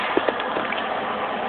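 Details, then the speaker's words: Argon regulator with cylinder valve shut: steady airy hiss as the MIG gun trigger is held 5–10 seconds to bleed leftover shielding gas from the line, confirming the valve and regulator are shut off. "pull the trigger for about 5 or 10 seconds till you then hear the hissing sound of the gas that's me that tells me that I successfully shut down the valve shut down the regulator"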